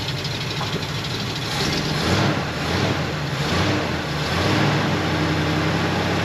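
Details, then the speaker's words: 1973 Ford F250 FE390 V8, revived after long storage, with fresh plugs and idle screw turned up; uneven idle surging and sagging every second or so, lumpy and unsteady; rough idle, clearly needs carburetor work or replacement. "It's not bad at all. Well, it clearly needs some carburetor work. I'll probably just put a different carburetor on it."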